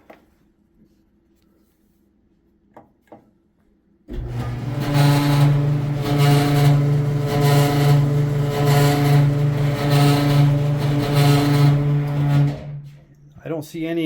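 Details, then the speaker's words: Samsung front-loading dryer: steady low hum with harsh rasping grind pulsing about three times a second as the drum turns, no excess vibration; owner suspected idler wheel or drum wheel bearings. "I've got a Samsung dryer here front loader and it is making a horrible noise"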